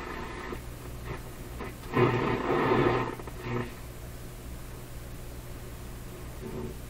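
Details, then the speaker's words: 1930s Rogers Majestic 4511 tube radio brought up slowly through a light bulb to about 95–98 V, with no antenna: a low hum with crackly bursts and hissing swells. Shop interference, probably from computer screens, picked up without an antenna. "so these are typical interference sounds you hear in my shop all the time there's no antenna so with a short piece of wire the radio is likely to pick up the local interference signals"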